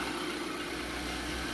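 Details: 2011/2012 Infiniti QX56 V8, cold start at idle: hissy idle with a steady whistle; loose timing chain, whistle fades warm but returns under hard acceleration and above about 3000 rpm with slight chain rattle.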